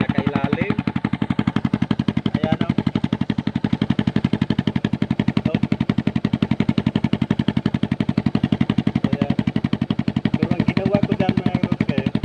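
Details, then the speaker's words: Motorcycle with rusted-through hole in the muffler, before fitting a second-hand replacement: loud, sharp popping exhaust beat, about four crisp pops a second at idle; exhaust leak from rusted-through muffler. "Ano kasi yan mga Katotski, butas na yung pag ito sa tabutso dito"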